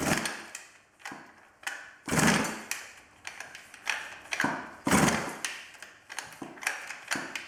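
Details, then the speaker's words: 110cc midsize off-road pocket bike unstarted for two years, key on, choke on, primed: repeated rough recoil pulls every second or two, no firing; won't start, cause unconfirmed, spark plug, coil and carburetor fuel to be checked. "after three rounds the pocket dirtbike wins though it's fairly obvious by this point it's not going to start"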